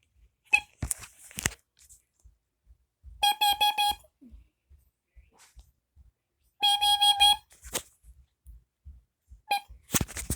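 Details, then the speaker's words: Kidde Nighthawk KN-COD-P 589 carbon monoxide alarm made July 2014 on test: two separate bursts of rapid, shrill high-pitched beeps in a quiet room. Alarm working normally. "right here is the kitty carbon monoxide alarm let's see what the model is and there's there's a model somewhere yep this is made in 2014 so let's get a test"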